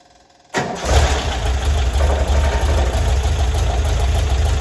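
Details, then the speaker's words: 1978 VW Bus 2.0L air-cooled engine, renewed and converted from fuel injection to carburetor with new carb kit, valves checked, timing set, first start on choke: quick start, steady even fast idle, no ticking or knocking; normal idle. "Like she's happy. Choke's on. Valves have been checked. They're running pretty good. Sounds good."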